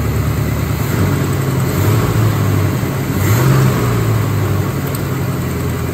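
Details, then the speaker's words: Forgotten Chevy C10 V8, first run in over a decade after new starter, wiring, ignition and rebuilt carburetor, revved: deep rumble rising and falling, even firing, no knocks or misses; runs properly, possibly running out of gas, leaking tank. "I did it I did it I think I ran out of gas I think I might have ran out of gas I did it"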